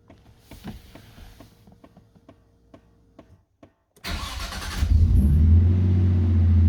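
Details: Nissan Skyline R33 GTST, first startup after installing a Walbro 255LPH fuel pump, primed more than once: faint ticking and clicks, then the starter catches and it settles into a steady low idle; a normal start.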